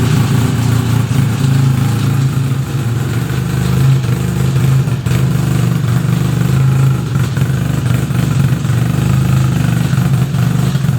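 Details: 1975 Suzuki RE5 rotary after full restoration: the low steady drone of idle with a faint uneven rumble underneath; abnormal transmission noise, source not pinned down, engine to be removed to inspect the gearbox internals.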